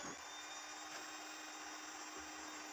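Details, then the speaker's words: Showcase drink refrigerator after thermostat repair and reassembly, powered up: small fan motor spins with a steady airy whir and faint even hum, no scraping or ticking; the fan runs normally. "ternyata kipas menyala ya"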